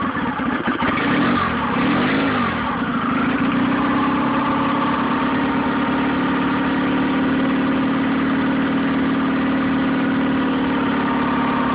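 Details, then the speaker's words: Nissan 9.8 outboard, first start on a cold day with the choke on, water semi-warm, started on the third pull: low, steady drone with a slightly uneven beat, idling low and rough; owner unsure if it's not warmed up or the off-idle needs adjusting. "Seems to be idling a little low right out of the box. I'd assume it's warmed up by now. The water's semi-warm."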